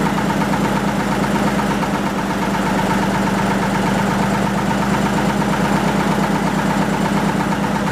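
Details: 1940 Lister JP3 single-phase 230 V diesel genset test run after water pump rebuild (slight weep at top radiator hose clamp): steady, even thump at constant speed with no knocks, misses or rattles; normal running.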